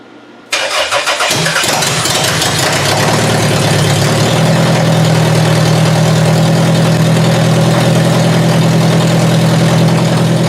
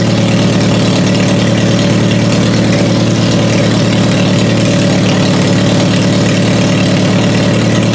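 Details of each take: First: Toyota Solara demolition derby car that ran poorly and started hard in cold wet weather, coil packs damp; windshield washer fluid poured on: short crank, catches and stumbles, rough idle; coil packs seen arcing out, suspected cause of misfire. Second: Toyota Solara demolition derby car after swapping in new coil packs to cure hard starting: even, steady idle with smooth low rumble, no stumble or misfire, running much better.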